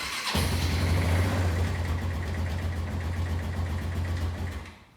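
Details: Barn-find Kawasaki Bayou 220 ATV on a cold start after sitting, later found with very dirty, overfull oil, possibly fuel-diluted. Catches after a brief crank and settles into a steady, even single-cylinder idle at about four pulses a second; normal.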